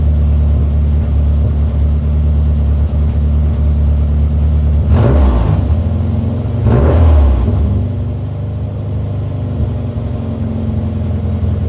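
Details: Mini after replacing disintegrated rubber vacuum elbows on MAP sensor and air bypass sensor that caused limp mode: even idle with two clean throttle blips, revs rising and falling smoothly without hunting. Normal running and revving.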